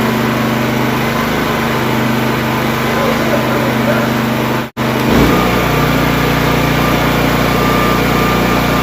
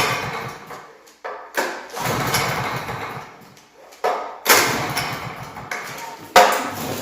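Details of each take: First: Honda EB3500X generator after a full service and carb cleaning, running unloaded: a steady, even hum at constant speed with no surging or hunting. Runs smoothly and healthy. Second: Honda EB3500X generator bought for $100, needing full service; choke pulled, five recoil pulls, compression in doubt: short rasping whirrs that die away, engine never catches. Cranks but no start; cause suspected, not confirmed; fuel then drained.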